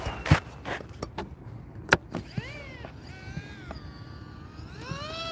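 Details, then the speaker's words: Giant RC plane electric motor on 4S batteries: whine rises and falls, then drops out and stutters back, cutting out in flight; pack too strong for the plane, motor overheating, switched to 3S. "Oh, the batteries the the engine's cutting out."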